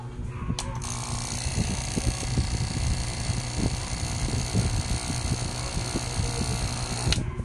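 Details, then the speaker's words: AVR (automatic voltage regulator) reported noisy when running, tested on 220 V AC: a low electrical buzz with rapid, irregular relay chatter; turning the middle adjuster stopped the noise but raised output voltage too high. "Ayan, yung relay nyo maingay guys."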